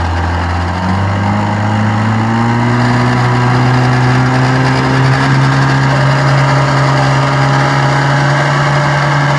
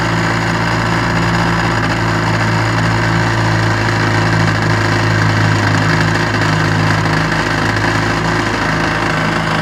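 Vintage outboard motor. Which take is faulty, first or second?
first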